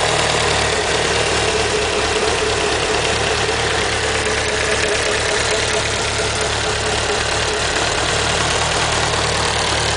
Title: Evo lifter tick?